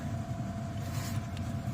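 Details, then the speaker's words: Heater blower fan on a no-heat call, checked after reconnecting a loose control wire feeding the heat sequencers. It gives a steady low hum with no knocks or scraping, running normally; the heater clicking in is heard afterward. "let's put it back in and turn it on i plugged it in fan turned on"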